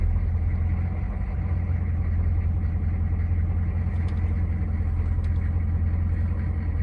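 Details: 1994 Chevy Silverado C3500 6.5L diesel idling after the first cold start of the day, at 40 psi oil pressure. A deep, steady, even clatter with no misses. Fuel filter housing and water pump leaks noted; owner suspects the thermostat is stuck open.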